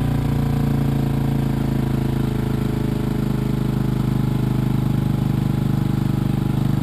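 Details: 1986 Honda TRX200SX single-cylinder quad just started after steering shaft repair, choke partly on: fast steady putter about 3.5 beats a second with raspy edge; idle set too high, and cracked exhaust leaking.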